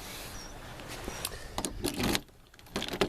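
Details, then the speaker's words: Volvo 7/9-series laser-cut-key lock cylinder, the only one still working: a few short uneven clicks and pops as the key turns, catching and releasing; worn lock cylinder hanging up; replaced with 740 locks taking a regular key. "and it kind of hangs up you can hear it popping when you turn it so but it does work"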